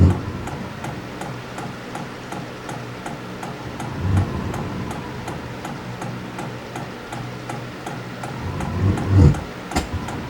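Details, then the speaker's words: Hcalory HC-A04 5-8 kW portable diesel air heater with ceramic ignition, lighting: steady light ticking about twice a second over low combustion rumble, exhaust warming; normal fuel pump ticking during warm-up. "There, I can hear the fuel pump, and I just heard it combust inside."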